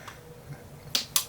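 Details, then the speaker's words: Fosi Audio TP02 subwoofer amplifier: two sharp crackling snaps as the power adapter plugs in, even with the amp switched off. It sparks at the connector, the adapter light flickers and clicks are heard in the woofer. The amp later stopped working. "this is what i'm saying look at this and listen you can actually hear the clicking sound you can see the light flickering and you can hear it in the woofer right here"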